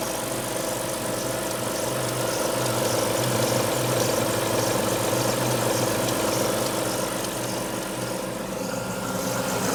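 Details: Alfa Romeo 156 V6 in for timing belt replacement, cold start: cold idle with a faint quick ticking over a steady hum; two distinct abnormal noises heard only when cold, not noticed when warm on arrival, cause unclear.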